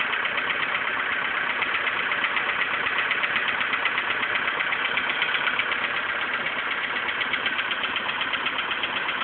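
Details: VW Polo sedan engine before piston replacement: fast, steady metallic knocking at idle, about four per second, riding on the engine note; suspected bottom-end or piston knock, not confirmed.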